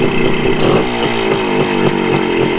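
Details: 1974 Honda MT250 Elsinore two-stroke on a test ride after correcting a points plate installed 180 degrees backwards: crisp, even buzz revving up and down cleanly with no misfire or stumble; runs much better.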